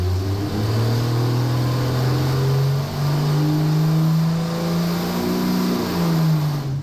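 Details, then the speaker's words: Mildly modded AMC 258 straight-six from a Postal Jeep, new camshaft kit, on the dyno at wide-open throttle with the fan removed: steady, smooth, healthy pull with no misses, about 101 hp and 182 lb-ft. "it definitely loads better without the aero system on there"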